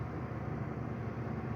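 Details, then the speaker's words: 70-year-old refrigerator just plugged in and running: low, steady hum with even rumble and no knocks or rattles; compressor sounds healthy. "Sounds healthy. Wow. That's insane."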